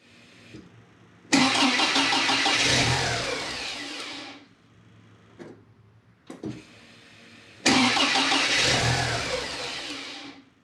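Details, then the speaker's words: Porsche 944 8-valve NA just after installing a Lindsey Racing MAF conversion: two long steady cranking bursts without firing; cranks but won't start, suspected MAF power voltage drop while cranking from the 12 V diagnostic-terminal circuit. "as you can see with the initial test run the engine is turning over but is failing to start while the engine is cranking the voltage on the circuit is dropping to the point where it's just not enough to power the maf for ignition"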